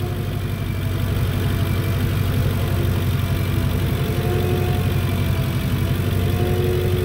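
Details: Lincoln Town Car idling after new alternator and add-on ground strap install, voltage settling from about 14.9 V toward 14.15 V: low steady idle, even rhythm, no whine, flutter or misfire.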